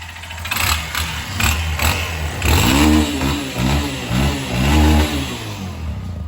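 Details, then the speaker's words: Lander 250 single-cylinder engine at only 29,660 km, revved with a hard knock on each rise and heavy carbon buildup; connecting rod knock, engine torn down and found a scored connecting rod pin. "barulinho aí de biela muita carbonização aqui também né"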